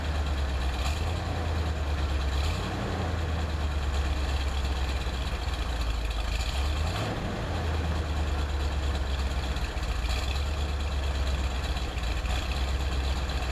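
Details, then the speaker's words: 1978 Corvette Silver Anniversary, L82 V8, automatic, cold start after sitting four months, about 60°F February day: steady deep rumble at raised fast idle on choke, even, no knocks or misses; normal cold fast idle. "what you hear from fast idle right now with the choke I'll leave it there for a couple minutes"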